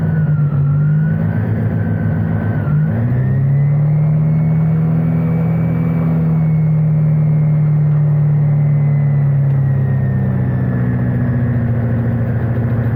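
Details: Start and run-up of an ASH-31 motor glider engine on the ground, heard in the cockpit, after pre-start checks with the prop extended and ECU ready: catches, dips, then climbs to a steady drone and holds smoothly.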